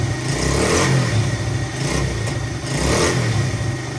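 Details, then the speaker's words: 1985 Honda XR100 single-cylinder four-stroke, revived from no-spark, idling on its own: smooth even idle, quiet, no excessive cam chain slap or valve chatter; sounds like a normal healthy XR motor. "Look at that, she idles nice too. Engine's quiet. I don't hear any excessive cam chain slap or anything. The valves aren't chattering. Sounds like your normal XR motor."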